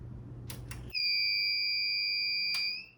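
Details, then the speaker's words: Retro 2006 gaming PC (Core 2 Duo E6600, triple 8800 GTX SLI), first power test: a few clicks, then a continuous high-pitched motherboard alarm for about two seconds; owner suspects the missing CPU cooler and CPU power. "So I believe that is because there's no CPU cooler or power going to the CPU."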